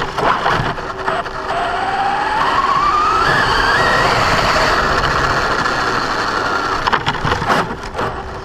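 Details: Brand-new Basher Nitro Circus 4x4 1/10 RC truck on a 3S 4000mAh battery: motor whine climbs as it accelerates, with rough gravelly gear grinding on top under load. It happens only accelerating, not in reverse or off the ground. Gear mesh was adjusted without success.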